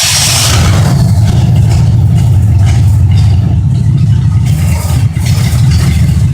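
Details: 1972 Oldsmobile 98 daily driver, 455 big-block V8, cold start: deep, steady rumble settling into an even idle with no misses; a knock-like sound comes from a vibrating part.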